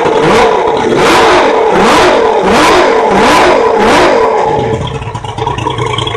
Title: 200 hp Mariner first start after carburetor rebuild